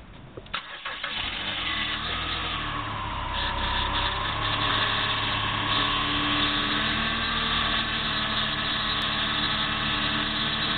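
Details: Chrysler PT Cruiser cranks and catches, then a steady high whine rides over the idle and also comes when turning the steering wheel; the power steering pump was low on fluid, and filling it fixed the noise.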